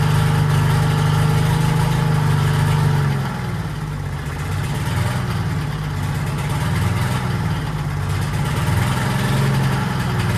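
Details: 1940s Allis Chalmers D5 or HD5 crawler with 2-stroke Detroit 271 diesel, first run in many years: deep throbbing beat about three and a half pulses a second, drops speed after three seconds, then settles and keeps running. Smoke suspected from a problem injector.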